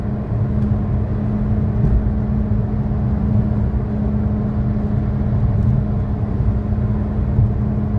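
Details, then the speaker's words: 2013 Chevy Sonic, 75,000 miles, driving: steady low drone with constant hum, no knocks; bad left front wheel bearing, passenger-side bearing new. "in the second clip you will hear the sound of a bad left wheel bearing while the passenger side bearing is new"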